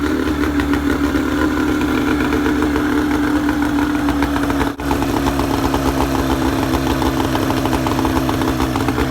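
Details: Boat outboard at its first start of the season after de-winterizing, with the choke used and the flushing hose running: settles into a steady, even idle with a smooth low burble and faint hum, no misses or knocks; running normally.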